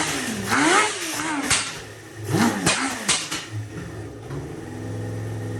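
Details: 2000 Kawasaki Ninja ZX-7R 750 with no tank fitted, just revived from no-crank/no-start, warming up: a few sharp throttle blips, then it settles into a steady, even low idle with no misses. Normal idle; owner thinks the carbs need cleaning.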